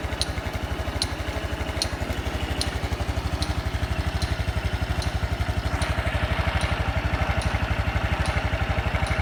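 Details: Honda Super Cub 110 JA07, fuel-injected, fully stock, start-up check at idle: an even, steady single-cylinder putter with a light regular valve tick and no knocks or rattles; a normal, healthy idle with no abnormal engine noise.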